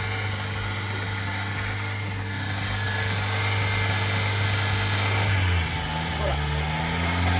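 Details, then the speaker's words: Subaru Sambar kei truck with a rear engine and a newly fitted idle air control valve; a cam sensor is also suggested as a suspect: a raised idle hum sags to a lower, uneven pitch as the high idle settles down. "this looks like the new air idle control valve they put in there is also supposed to be a cam sensor some where too some people on Twitter X and Instagram mentioned to check that too according to them its a common problem on these do hear the idle starting to come down?"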